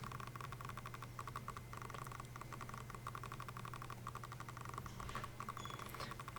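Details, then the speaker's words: Sigma 18-35mm f1.8 Art lens on a Sony a6500 via MC-11 adapter, in continuous autofocus, recorded by the onboard camera mic in a relatively quiet room: a faint low hum with rapid uneven ticks as focus adjusts. Normal, though notoriously noisy, autofocus motor. "so what you're hearing right now is the Sigma 18 to 35 autofocus continuous with the Sony AC to 500 and MC 11 with the onboard camera mic so this is in a relatively quiet room"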